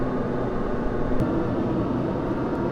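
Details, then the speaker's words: HCalory 4.5 L toolbox diesel air heater (8 kW) ramping up to its highest heat setting 10; smooth, steady rush of fan and burner at full output, no popping or surging, running normally. "I don't know if you can hear it, but it's ramping up louder now."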